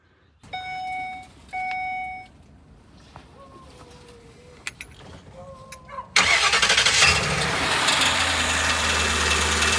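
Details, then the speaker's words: Old Ford van (5.4 or 4.6 V8), sitting about a year, first start after the transmission was reinstalled and filled with fluid. Engine fires with a harsh, raspy grind that carries into the idle; the flex plate was bent and was later replaced. "So, basically, my flex plate was bent. That's why you hear those grinding noises."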